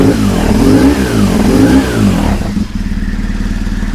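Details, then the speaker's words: High-mileage BMW 1150GS motorcycle with a used replacement engine, before warm-up: two clean throttle blips rise and fall, then it settles to a steady, even idle. The engine sounds healthy. "there's nothing wrong with the engine the engine sounds good it idles brilliantly"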